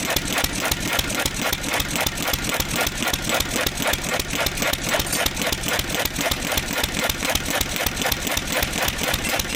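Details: 1927 IHC M single-cylinder engine, restored 20 years ago and unstarted for 19 years, running on starter fluid from the starting bowl because the fuel pump diaphragm failed: sharp, fairly even firing beats about four per second with clattery mechanical ring.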